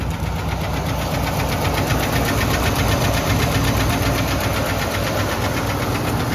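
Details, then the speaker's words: Boat-tail Buick Riviera V8 at first start; fast light ticking about four per second over a rough idle. The owner suspects a loose lifter, unconfirmed, and plans to check the oil. "and it sounds like a loose lifter or something like that to me a little tick"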